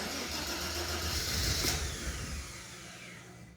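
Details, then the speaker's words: Mercedes SL320 that had not run for 3 years, after spark checks: engine catches and runs lumpy, stumbling about three times a second before dying; misfiring badly on start, coils suspected. "so misfiring like crazy interesting super interesting"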